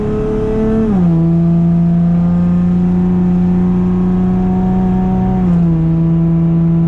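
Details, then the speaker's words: Car with a new cheap muffler exhaust, recorded from inside the cabin at highway cruise: loud steady low droning tone, dropping in pitch with each upshift; boomy exhaust drone that sounds bad, less noticeable on cruise control. "yep it does not sound good at all"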